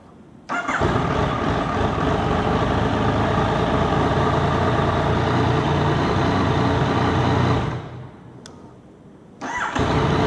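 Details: Yamaha MT-09 engine, hot after a 30-minute ride, cranks evenly for a long stretch, pauses, then cranks again before slowly catching and starting: hard starting when hot.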